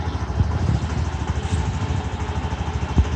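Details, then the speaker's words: Mondial Fury 110i scooter idling after reassembly: low, even putter with steady beat, no ticking or puffing; exhaust previously made a putt-putt noise, now sounds good — normal idle. "Aynen şu an sesi güzeldi bayağı önceden Pırpır ses yapıyor egzozda şu an güzelmiş"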